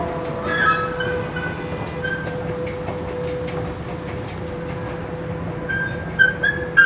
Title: Fatih köprüsü metro girişi.Gürültülü gıcırtılı yürüyen merdiven sesi.